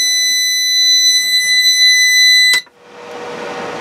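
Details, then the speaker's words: Harbor Freight Centech 69662 2000 W inverter on a new 100 Ah LiFePO4 battery, loaded with a 9,000 BTU RV air-conditioner compressor: a piercing steady alarm for about 2.5 s, then fan hiss. Overload trip. "alright so it can handle the electric water heater so that's good almost had it but it couldn't do it so"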